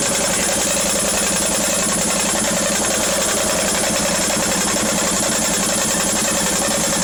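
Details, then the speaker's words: Brand new Indesit IWC6105 6kg 1000-spin washing machine spinning: loud, harsh pounding of nearly three heavy thumps a second over a roaring rattle; the bearings were gone and the drum needed replacing. "It shouldn't be that loud, should it?"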